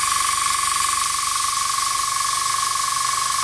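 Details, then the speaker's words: Iwata Sprint Jet model 800 oilless piston airbrush compressor, hose attached, running: steady airy hiss with thin high whistle as air bleeds off through the bottom of the regulator filter while pressure builds — normal regulator bleed-off. "now when I switch this on you will hear a bleeding off through here through the bottom of the filter as it builds up"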